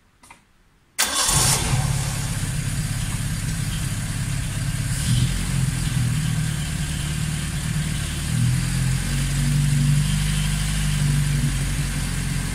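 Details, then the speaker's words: Vauxhall Chevette (HSR replica) at its first start in years, after ignition timing and firing order work, with no water pump belt fitted: it catches right away, then holds a fast, busy idle well above normal without settling. The idle is set too high. "got it starting good running fairly well just it's racing like crazy so I'm trying to write down the idle bit and have no water pump belt on here"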